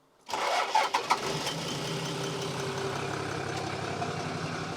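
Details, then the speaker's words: Toyota Landcruiser 1HD-T diesel, 445,000 km, cold start after injector rebuild and bleeding: short crank, catches quickly, settles into even idle, not very smoky; sounds about the same as before. "It wasn't even that smoky. Nah. There you go. Any first impressions? I mean, it's not smoking too bad. It looks pretty good for a cold."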